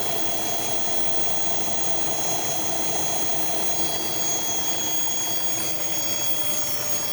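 Thin, steady hiss and faint whistle sitting above a quiet engine idle, unchanged throughout; could be an intake air leak. Cause suspected, not confirmed.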